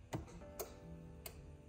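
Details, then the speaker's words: 2022 Vanderhall Venice GTS, wrecked, 1,900 miles, being rebuilt: foot on brake, start button pressed; four sharp clicks about half a second apart, no cranking, will not start. Engine light on; fuel injectors found leaking afterward. "just clicking okay will not start just clicking"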